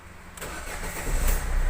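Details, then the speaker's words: Ford Figo diesel after injector replacement for knocking, low pickup and late starting: cranks briefly and catches quickly into a firm, even idle without stumbling; engine warning light now off, starts cleanly. "गाड़ी Excel पर start हो रहा है, कोई light नहीं है।"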